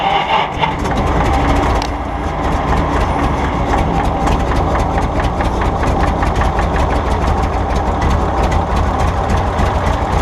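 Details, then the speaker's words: 1951 Brockway engine, seized and freed after pickling, now runs as a deep steady rumble with even firing pulses and no misses or knocks. "She's a runner."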